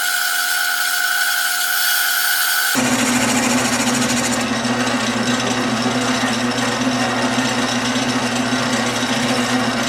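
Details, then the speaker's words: Lathe turning the knob for a Stanley No.6 plane: steady hum, then rough buzzy cutting rasp as tool chatters; suspected workpiece deflecting at unsupported end, tailstock brought in for rigidity. "okay so I had to bring the tailstock in because you could hear it kind of chattering in there probably just because it was deflecting out here on the end"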